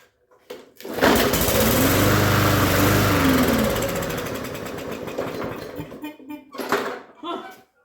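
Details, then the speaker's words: Free push mower, no air filter, oil looked overfull, gas squirted into intake: catches, revs rough about four seconds, then sputters out, running only on primed fuel; smoked a little, owner suspects overfull oil; old gas removed afterward. "kind of started right up smoked a little but I think it's because the oil is over full"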